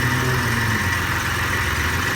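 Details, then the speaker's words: 1991 Mitsubishi 3000GT VR4, 77k miles, cold start in rain, idling: thin high chirp repeating over engine hum, owner says obviously a worn belt needing replacement; possibly pulley. "you'll hear that chirp chirp chirp I'm talking about it's definitely over here for the ball car that's an obvious polio belt it needs to get"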